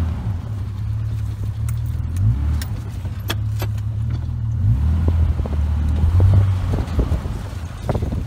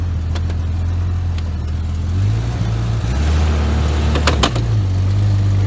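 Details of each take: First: Jeep drive shaft after U-joint replacement, in four-wheel drive on slow tight-turn test drive: only low smooth driveline rumble, no crunching or clunks; joints not perfect but holding. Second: Old Jeep yard vehicle on ramps, cold day: engine note rises and falls with irregular crunchy clicks over the drivetrain as it loads up; bad driveshaft universal joint.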